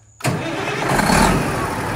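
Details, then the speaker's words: International truck with a Detroit diesel being built for 1000 hp as a burnout and sled-pulling truck, first start in neutral after a reset; the big diesel fires at once and settles into a strong, steady rumble with no misses or knocks. "dang it makes me so nervous first starting one of these oh these Detroits are animals when you do this go for it"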